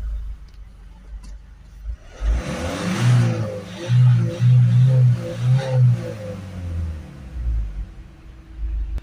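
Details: Peugeot Boxer 2.0 diesel van after AdBlue tank replacement, DPF cleaning and re-initialization, codes cleared (previously rev-limited to about 2,500 rpm): climbs through several quick blips and drops back cleanly, revving freely without hesitation or limiter; normal free revving.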